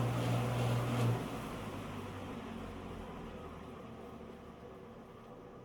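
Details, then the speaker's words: 1948 ILG Model 183 18-inch self-cooled fan, 1/5 hp 1140 rpm PSC motor with FAFNIR 203KLL2 sealed ball bearings: hum cuts off, then a dry, gritty whir as the heavy rotor coasts down on very worn bearings with play, despite regreasing. "You can hear the bearings sound pretty dry. I did actually pop the bearings out, and they're sealed on both sides."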